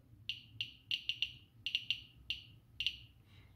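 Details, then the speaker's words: Geiger-Müller counter board with Arduino Uno; alpha source withdrawn from GM tube after ~540 CPM, drastic decrease as air absorbs alpha, some gamma remains; sharp irregular ticks, about a dozen in four seconds, gaps widening, click rate dropping. "this is just an alpha radiation so if I bring it back a bit there will be a test dress three drastic decrease because most of the radiation gets absorbed by the air"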